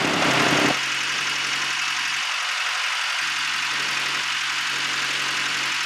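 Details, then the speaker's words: Boat engine under way on the river after clogged carburetor was fixed: even low hum at constant speed under heavy wind and water hiss, no stumbles or knocks; ran perfect, healthy running. "well there you have it took us a couple days but we finally got the boat back in commission ran perfect"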